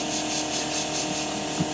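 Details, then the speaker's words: 1976 GMC Motorhome rear air ride: steady high-pitched hiss from a leaking air line fitting on the manifold in the dash; replacing the nylon hose didn't stop it, so the fitting is at fault. "i know that one's definitely leaking [Music] so it's yeah and i tried replacing the hose i bought a bunch of uh i bought a bunch of nylon hose right here and i tried replacing it and it still leaks so it wasn't the hose it's actually the fitting"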